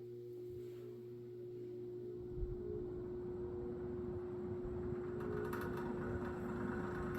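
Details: 1970s Electrohome 652-2C box fan on low, dry and needing oil: steady motor hum as blades spin up with a light buzzy rattle on startup, later found to be just the loose grille.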